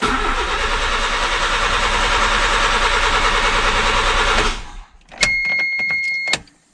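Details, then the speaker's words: Honda Civic coupe project car: fast, even cranking at about three turns a second for four seconds without a single catch, then it stops. Crank, no start, cause not yet found. "so we do have crank but no start trying to figure out why"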